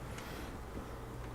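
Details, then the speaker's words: Smith-Corona Coronet Automatic 12 electrified manual typewriter just switched on, new power cord fitted; big motor with belt constantly turning on a pulley gives a quiet constant low hum, no knocks or rattles, normal. "And this is the thing about electric typewriters, especially these electrified manual typewriters, is that they sit there and they hum at you. You can hear that motor."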